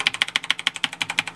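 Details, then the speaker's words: Dead Maxtor hard drive in a PowerMac G5 (2 GHz, converted from liquid to air cooling): fast sharp ticking about fourteen per second alternating loud and soft, drive does nothing but click; drive is toast. "this maxtor harddrive is dead you know look at this"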